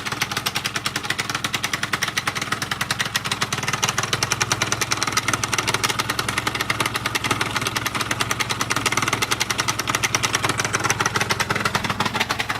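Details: Two-stroke scooter at idle: sharp, regular metallic knock about four times a second over a buzzy idle; no crankshaft play, new piston kit, no knock at speed; knock vanished then returned after two weeks, cause unknown. Engine knock at idle.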